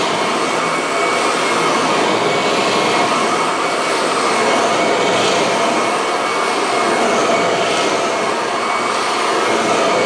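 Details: Kirby vacuum cobbled together from several broken machines, cleaned: steady, even motor roar with strong airy rush, no rattles, surging or grinding; runs healthy.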